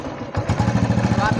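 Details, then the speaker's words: Old Royal Enfield Bullet 500cc, just kick-started after repair of head block, piston and rings, chain set and self-start (previously had engine tik-tik noise and gear problems); steady even single-cylinder thump at idle, no ticking or clatter, now sounds clear and healthy. "देख सकते हो finally bullet का sound भी अभी clear आ रहा है।"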